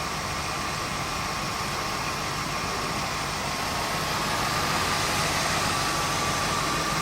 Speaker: It's idling very smoothly. You hear no valve train noise at all, no kind of low engine knock, anything like that. It's a very, very smooth running 302 J-code motor.